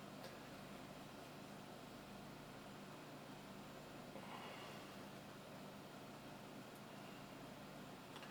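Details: Dell Precision workstation powering up: quiet, steady airy fan hum with a few faint clicks, no rattle or rising whine; fan running normally, CMOS battery probably failed.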